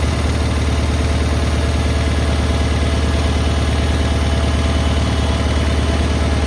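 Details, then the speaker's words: Cub Cadet 682 garden tractor with Kohler KT17 twin, first start after storage: steady, even twin-cylinder putter at idle, regular beat, no knocks or misses; an unusually good running KT17. "You don't usually get a KT17 in that runs this well."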